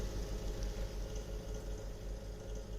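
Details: Samsung refrigerator with linear compressor: deep hum with a dull repeated thumping in the first second; the linear compressor is knocking and has failed.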